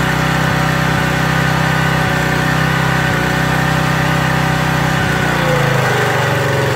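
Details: Craftsman 2700 PSI pressure washer with Briggs & Stratton 275cc OHV on a water test: a steady run that sags hard near the end. The pump unloader isn't relieving pressure; the jet was possibly taken a little too far, so the unloader is to be pulled and cleaned.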